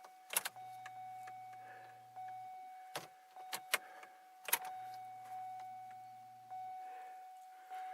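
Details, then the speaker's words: 2002 Chevy Malibu no-start with fuel leak, key-on after fuel line repair and relay refit: pump hums about two seconds then stops, repeating between clicks; pump runs but isn't picking up or delivering fuel. "but it's not picking up any fuel the pump is just well it's doing something"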